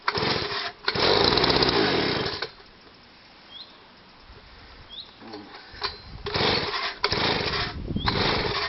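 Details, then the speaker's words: Stihl SH/BG 85 two-stroke leaf blower, cold start with the choke on, previously pumping petrol out of the exhaust: a rough roar that drops to near silence, then surges unevenly. It won't rev and runs rich; the replacement part is still on order. "At the time, it would only rev, well, it wouldn't even rev up once we did get it started."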